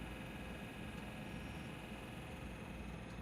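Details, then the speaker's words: Cadillac Eldorado after HVAC blower motor replacement (old one wobbled and scraped), engine idling, fan on low, heard outside: quiet, even gentle hum, no rubbing or ticking; normal blower motor. "And on the outside with the fan on low, the motor is sounding nice and quiet with just a gentle hum, as expected."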